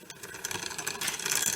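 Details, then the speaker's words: Rusty free Barracuda dual-suspension trail bike, after WD-40 on the front gears. Dry scraping ticks come with each turn of the cranks as the chain rubs the front derailleur; the front shifting needs adjusting. "so I think I'm gonna have to have a look at the gear shifting and the way that it shifts um because that's is rubbing on the chain up here there"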